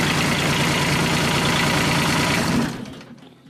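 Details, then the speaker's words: Kubota G1800 tractor diesel, rebuilt engine back in tractor after about 2 hours mowing: even clatter at steady idle for a few seconds, then winds down; running cleanly. "And so there it is, back in the tractor, and it seems like it's running good."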